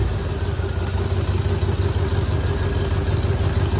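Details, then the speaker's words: 1976 Mercury Monarch 351W V8 (Holley 750, HEI, mild Comp 252H cam) idling: deep rumble with a loose, puffing rasp from a bad exhaust leak at a blown donut gasket on one side. "It's got a pretty bad exhaust leak on this side. That donut gasket down there is blown out, so here we go."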